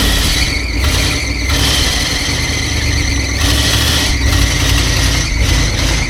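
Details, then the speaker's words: 1973 Ford F100 Ranger XLT, long-sitting truck with no working brakes, creeping out under its own power; a loud scraping squeal rises and fades in surges as a stuck brake that just freed keeps dragging. "oh man the brake it finally unstuck yeah we have no brakes but yeah brake still trying to stick on it but she's trying to charge"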